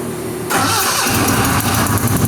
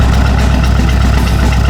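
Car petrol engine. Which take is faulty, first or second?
first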